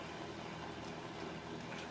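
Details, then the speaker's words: Repaired free space heater on highest setting, 1500 W, heat working, microphone close to fan: soft, steady airy whoosh with no rattle or scrape; normal fan running. "it's on the highest temperature 1500 nice and warm you can hear that fan let's listen to it a little close fans moving in there that's all it was"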